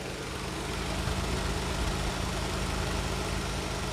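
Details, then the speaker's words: Nissan March, about 5 years old, AC switched on at idle, mic near the condenser fan: smooth, even rush of air with no rattle or wobble; normal fan sound. "Nah pas awal hidup AC itu kan ada suara kes gitu kemudian motor fan nya muter Nah kalau dia bunyinya itu hanya Deru gemuruh angin aja itu normal"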